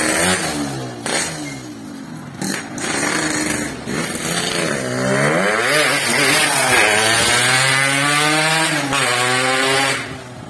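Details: Yamaha RX King two-stroke after repair for lost power and weak climbing, road test: crisp buzz climbing cleanly through revs, easing off and pulling again without bogging; pull good, but chain nearly came off at full throttle, possibly loose.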